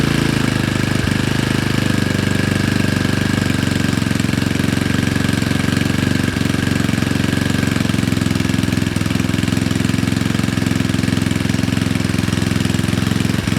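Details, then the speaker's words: Honda Ruckus with rebuilt GY6 171cc engine, first start after installation, idle adjusted, fresh assembly lube: fast even single-cylinder putter, steady with no misses or knocks; normal idle. "Alright, so it looks like it starts. That's awesome. It sounds good."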